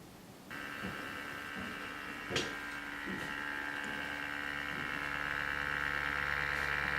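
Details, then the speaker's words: Samsung NP550P5C-A02UK notebook, microphone moved close: steady rough buzzing whir like an electric toothbrush, pitch creeping slightly higher; worn cooling fan, to be replaced. "Now if you move the camera a little closer, you will hear that it sounds remarkably like an electric toothbrush."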